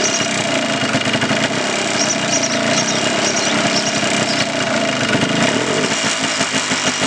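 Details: 1989 Yamaha Blaster 200 two-stroke after sitting 15 years, airbox cover and a muffler baffle removed, still warming up: loud, crackly idle that sags as if about to stall; the mixture screw barely helps and the idle is too low.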